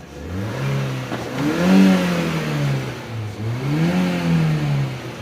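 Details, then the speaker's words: 2021 Honda City that cranked but wouldn't start and was misfiring and not revving, after repair: two clean blips, the note climbing smoothly and dropping back to a steady idle with no misses or knocks. It now revs normally. "ہائے گاڑی جو ہے نا ابھی اوکے ہے الحمدللہ ریسی دے رہا ہوں"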